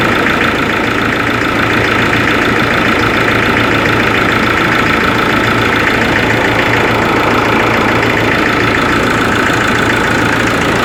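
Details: Ford Ranger 3.0 Limited diesel at cold idle; loud, fairly regular knock about twice a second over the diesel clatter, with the engine cold, cause not found by mechanics.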